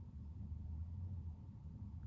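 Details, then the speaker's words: Chinese diesel air heater on its lowest setting, heard from the bed with the pump in a closed cupboard next to the heater in a van conversion, after fitting an aftermarket quiet fuel pump; a steady low rumble with no pump ticking. "no so there you go damn thing works fantastic"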